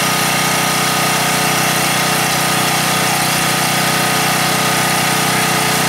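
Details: Gasoline generator converted to natural gas via a quarter-inch hose, gas valve opened slightly. Loud, steady buzzing drone at constant speed with no surging or misses; it runs evenly on natural gas.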